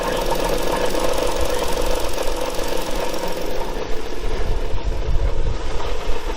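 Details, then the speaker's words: 2013 Ford Explorer revved: rough uneven knock over idle, louder with throttle; source not pinned down, suspected engine but possibly transmission, which was leaking fluid. "yeah that's the motor give her gas sound get louder"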